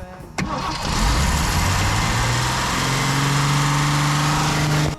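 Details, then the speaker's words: 1961 Mercury Comet 170 cu in straight-six revived after sitting 37 years, fed gas down the carburetor, carb still leaking slightly: brief crank, then catches and settles into a steady idle with an even note; normal start and idle. "She fired right up."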